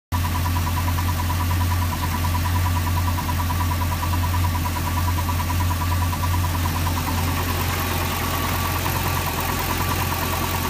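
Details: Volvo V8-380 engine, about 35 hours: at idle a deep steady rumble with a thin faintly pulsing whir on top, a strange noise of unknown cause.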